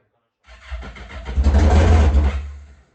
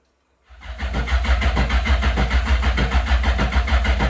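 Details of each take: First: Yamaha GP1200R converted to a GP1800R, first start with the new engine, speedo cluster not installed: catches after a brief crank into a deep, loud, steady unmuffled rumble. A healthy first start; the fuel line was not yet installed. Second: Yamaha GP1200R converted to a GP1800R (new engine), first start attempt: the starter churns evenly at about three beats per second but the engine never fires, so it cranks without starting. The fuel line was never installed.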